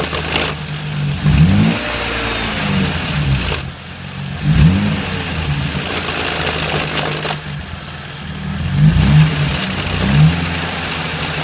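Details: BMW E30 with S52 six-cylinder engine at idle: idle surges every few seconds with rough low thumping between; horrible engine noise, cause unknown.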